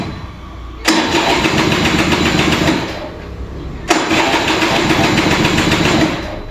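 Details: Vintage Kinetic Honda 2-stroke scooter, early-morning cold start: two cranking attempts, each a few seconds of rough churning that dies without catching; long starter struggle, weak ignition, battery draining. Hard starting, cause not confirmed.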